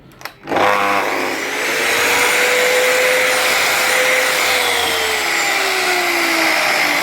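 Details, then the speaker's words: Bosch GMC800 mitre saw that would not start, fixed by fitting two new brass right-angle connectors between field and brush holder; motor spins up quickly to a steady high whine, holds even speed, then winds down, normal motor run. "two e brass connectors instead of a placing brush holder and Fields be cheap and cheerful Parts with two or three a piece that's her one B saw up and running again"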